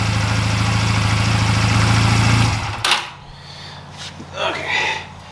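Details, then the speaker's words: 2004 Honda Rebel CMX250C with one new and one old CR6HSA plug, idle turned down: low uneven beat with slight stutter, then shut off; rough idle, suspected bad new plug. "so yeah if I turn the idle down you can hear it's still rough"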